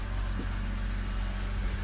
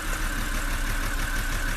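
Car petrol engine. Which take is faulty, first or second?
second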